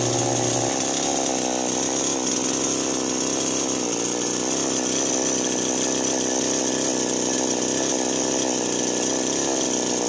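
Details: Chainsaw that would not start and died suddenly, after fixing a loose spark plug/ignition: steady high buzzing rev holding even for ten seconds without sputtering or dying; running cleanly after repair.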